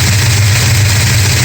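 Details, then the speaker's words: 1969 Dodge Charger 440 V8 idling several minutes after re-torquing loose exhaust header bolts and intake bolts: smooth even low rumble, no knocks or exhaust bangs returning; loose header bolts believed cause of earlier hammering. "I've been running for a few minutes now, and normally by now we would have had that loud banging noise, but fingers crossed, it looks like it was the loose header bolts on the exhaust."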